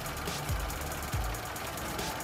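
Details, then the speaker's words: 1993 Lada VAZ 21099, 1.3 L 64 hp, hood open: even, quiet low idle rumble with a couple of soft thumps, no shaking or misfire; normal idle. "движок работает тихо тихо движок работает ровно не трясётся не троить ничего"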